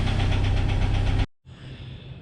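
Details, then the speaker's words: 1997 Jeep Wrangler TJ 2.5 four-cylinder, about 214,000 miles, timing chain already replaced: rough idle with a steady rapid deep knock underneath, then shut off; internal engine knock. "Yeah, something has went majorly wrong."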